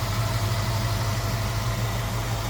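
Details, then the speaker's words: Idle of the 289 V8 in a 1966 Ford Mustang convertible, hood open. An even low burble; the engine hardly wobbles, smooth and quiet with a little exhaust note and no misses or ticks. A normal idle. "Engine doesn't hardly wobble, if at all, and sounds good. Nice, smooth, and quiet. A little bit of an exhaust note from it."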